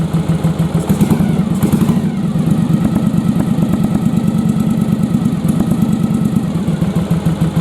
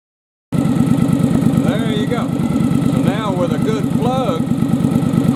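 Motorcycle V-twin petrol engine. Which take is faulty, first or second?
first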